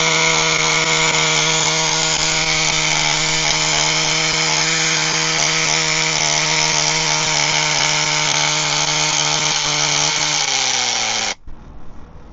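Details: HPI Firestorm 1/10 nitro RC stadium truck, previously seized engine, after repair, preheated: high buzzy engine screams at steady speed then winds down and cuts off cleanly; running well with good compression, though the pinion gear was destroyed during warm-up.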